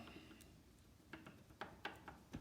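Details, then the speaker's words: Royal Enfield Interceptor 650 gear lever rocked by hand: light irregular metal-on-metal clicks from play at the lever pivot, which lacks a bearing; stock condition, the owner plans to fit a bearing to cure the waggle. "can even hear it. There's nothing wrong with it. This is how it was, you know, they're all like that, as we know."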